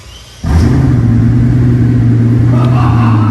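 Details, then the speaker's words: $1800 junkyard Mercedes W220 S600 V12 with straight-piped exhaust: deep, even burble that swells when the throttle is blipped, smooth with no knocks or misses, not loud; a healthy V12. "It's not too much at all. Not even loud. Well, I mean, it's just burbling. Right, and that's straight."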